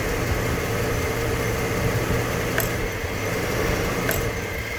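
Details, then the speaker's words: Engine at idle with weak fuel pump that can't even fill sample container, fuel smelling of varnish (contamination suspected): low, uneven idle that sags and lurches, stalls if held; confirmed bad fuel pump causing fuel starvation. "that guy's doesn't lie that is a bad fuel pump no doubt about it"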